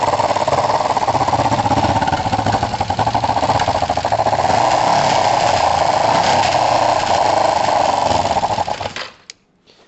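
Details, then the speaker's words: Kawasaki ER-5 twin after a compression test and carb float height adjustment: a loud, ragged roar with uneven spits and pops back through the carbs under throttle, yet the best it has run; the carbs may need a rebuild kit. "yeah I mean you can hear some oh some back spitting and some popping and so it's not overly comfortable but that is the closest I've had it to running well which is interesting"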